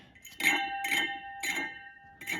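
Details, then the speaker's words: Porsche 993 engine cooling fan spun by hand after a new bearing and rebuilt alternator were fitted. A sharp metallic clink about twice a second with a ringing tone is a cracked fan with stress fractures and wobble; replaced. "That's not supposed to sound like that, is it?"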